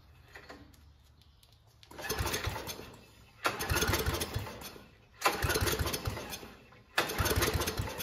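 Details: Homemade junkyard go-kart small engine, started after a carburetor clean with the air box off. It catches in rough surges about every 1.5 seconds, popping and sputtering and backfiring heavily. It seems to be running a little lean.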